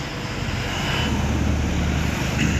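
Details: Hyundai Elantra SX push-button car with no-start, fixed by installing a replacement sensor for one with cut wires, scanning and clearing codes; engine catches and runs smoothly, hum rising evenly as rpm climbs, no misses or knocks: normal running after repair.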